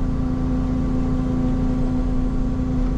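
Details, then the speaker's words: Ferrari 458 Spider, needs warming up: steady low drone with a constant moaning tone at idle, picked up by wireless mics on the engine. Loudest low behind on the engine; source not found. "give it a minute it starts moaning you know you got to warm it up yeah it's a temperamental beast"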